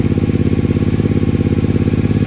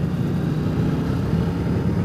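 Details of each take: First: Triumph Speedmaster twin idling with a very loud, deep, rapid thumping exhaust and a hard bark on every firing; its original pipes are ear-ringing loud even with earplugs; recorded before swapping pipes. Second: Speedmaster opening the throttle hard on replacement used pipes: a low, soft, even rumble, smooth and quiet where the old ear-ringing pipes gave a loud brap; normal exhaust note.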